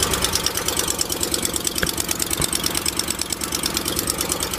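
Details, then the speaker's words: 2006 Ford Explorer 4.6L V8, cold start: sharp quick ticking about three per second, loudest right front (passenger side), gone after 15–20 seconds; exhaust manifold leak from warped manifold that seals when warm. "I can already tell the nois is coming uh mainly from the front and as you saw there it only lasted maybe 15 20 seconds and now the engine sounds normal once again"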